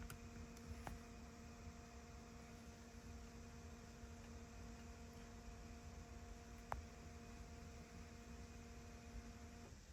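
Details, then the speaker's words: 2015 Ford F-250 Powerstroke diesel after changing both fuel filters, key on engine off to purge air: faint steady electric hum about ten seconds then cuts out; fuel pump priming hum. "I'll turn it off one more time there we go let it run this cycle and then uh we'll go ahead and hit the switch"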